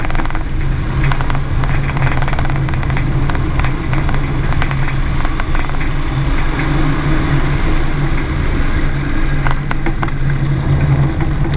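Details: 2017 Renault Duster 4x4 driving: scattered light knocks over steady road rumble, passenger side only; persists after replacing strut kits, mounts, sway bar link and stabilizer bushings both sides; source unknown.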